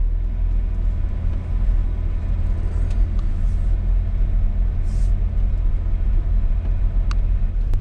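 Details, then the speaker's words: 1989 Chevy S10 first-gen pickup, long-neglected, being revived: fires right up, low even four-cylinder rumble holding steady with no misses or knocks; normal running. "Fires right up. This is a This is going a lot easier than I thought it was going to go."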